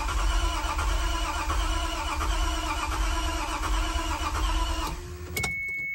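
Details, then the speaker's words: 1993 Toyota MR2 SW20 with a swapped 2GR-FE V6, first start attempt after installation; steady cranking for five seconds with uneven half-catches that never take, cranks but won't fire; owner suspects a popped fuse. "sounds like it wants to maybe try and catch yeah I think we're getting close"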